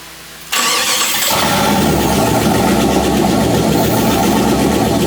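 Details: Chrysler 318 V8 with AW4 swapped into a Jeep, started with fuel supplied after fixing gas leaks: it catches after a short crank and settles into a steady, even idle with no knocks or misses; normal running.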